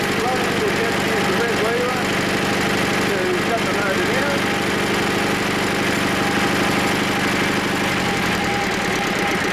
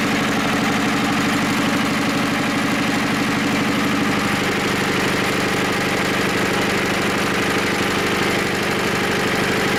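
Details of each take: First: Diesel engine right after a cold start (unused about 3 months, about 5 degrees): even clatter settling into a smooth idle with no misfire or knock. Normal running once started. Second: Diesel engine with glow plug, unstarted for about 3 months, at about 5 degrees: heavy even cranking chugs at about three per second with no catch yet. Hard cold start.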